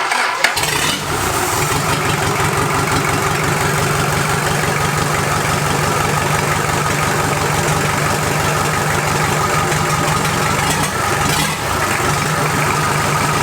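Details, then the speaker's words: Toyota B diesel in a 40 series LandCruiser, first start after rebuild: after a short crank it catches and holds a steady, even diesel clatter with no knocks or misses; healthy idle, sounds sweet. "juicy sounds good she sounds like a beauty"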